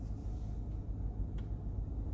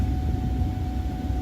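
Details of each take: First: 1994–2004 Ford Mustang HVAC blower on low speed after replacing the faulty blower motor resistor: low, steady, even fan rumble with no surging, rattles or squeal; blower running normally, repair confirmed. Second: 1994–2004 Ford Mustang HVAC blower before repair: dead on low, M1 and M2, running only on high with a steady low roar; motor has power, so the blower motor resistor has failed.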